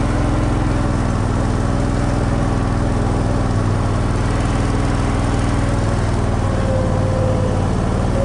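Steady low engine drone with a slightly uneven, lumpy beat under it; runs rough, but nothing here points to a cause.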